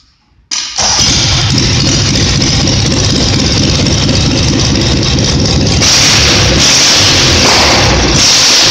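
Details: Simplicity twin-cylinder engine, reassembled, cranks and fires in half a second, then runs steady and even with slight pickup, no popping; earlier it popped and misfired when revved; owner suspects debris burned out of a cylinder; now running well.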